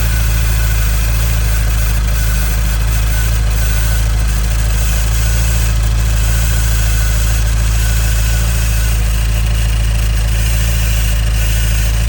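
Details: 2015 Nissan Juke Nismo RS, 112,000 miles, at idle: a constant fine hissy static-like rattle over the engine hum. It seems like a vacuum leak, but everything is bolted down and it drives well; timing chain suspected, unconfirmed.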